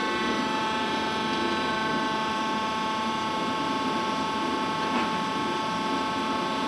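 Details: Worm screen centrifuge test run after repair for bad vibration: the worn main drive bearing diameter was machined and sleeved, and the main drive and gearbox bearings replaced. Even high whine over a smooth hum with no knocking; normal running.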